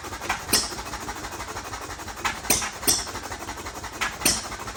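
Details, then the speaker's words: First start of a Novo 3.5 or 4 hp hit-and-miss engine, 20-inch flywheel, revived from water-seized state with cleanup and light hone, buzz-coil ignition, fuel pump unfinished; sharp pops at uneven gaps with soft coasting chuffs: normal hit-and-miss running. "So yeah, that's the first start of the Novo 3.5 or 4 horse. That's a success."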